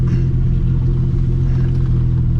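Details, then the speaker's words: 2004 Ford Explorer revived after sitting, driven off-road with bad bushings: deep steady booming exhaust drone, loud with no muffling; owner heard dragging and thinks the exhaust system fell off, after which it turned loud. "I think what fell off was my exhaust system cuz I heard a dragging and then automatically it's loud"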